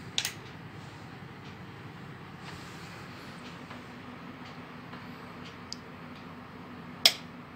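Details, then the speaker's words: Pioneer AV receiver after repair for a relay clicking fault: at power-on, crisp clicks over quiet hum as the speaker output relays engage normally. "That's the sound of the output relays. They just turned on, so the speaker outputs are ready now."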